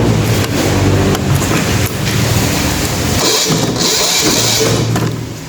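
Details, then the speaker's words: Sumo SDG5000T silent diesel generator cranks with steady chugging about three beats a second but won't start; battery drained from cranking and recharged; suspected fuel starvation, fuel system being bled and traced. "So ayaw po niyang mag-start."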